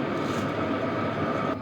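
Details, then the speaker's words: HCalory Toolbox Max diesel heater turned down from setting 10 to 1: steady, even fan whir that slows gradually and grows slightly quieter; normal operation on lowest setting. "Down to 1, and it doesn't drop instantly, it slowly slows down, and we'll get some volumes when it's on the lowest setting."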